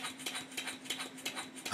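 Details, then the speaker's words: Stuart 10H model steam engine on an early break-in test run, timing not yet perfect, engine a little tight, crankshaft still bent: soft, unevenly spaced exhaust puffs about three a second, some paired. The slide valve is mispositioned relative to the ports. "can tell by ear that the slide valve is not in the right place relative to the ports, and for that reason I disconnected the eccentric rod from the valve fork."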